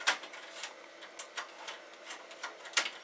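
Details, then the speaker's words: Commodore Amiga 2000HD (accelerated) floppy drive seeking: irregular sharp ticks and clacks as the head steps back and forth, sounding gross and noticeably loud. "I want to see ya my floppy drive that sounds gross it is right"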